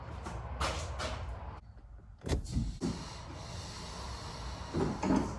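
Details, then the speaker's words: Corvette C3 vacuum headlights after actuator repair, engine off: soft hiss and smooth sliding ending in a light thump as lights close; system holds vacuum, airtight, normal operation. "And just like that, with the engine off, it still held vacuum while the lights are open."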